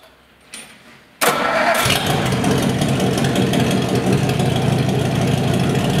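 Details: 1956 Ford farm truck 272 cubic inch V8, revived after sitting, fuel poured into carburetor for test: a click, then it catches right away and settles into a loud, steady, even idle with no misses.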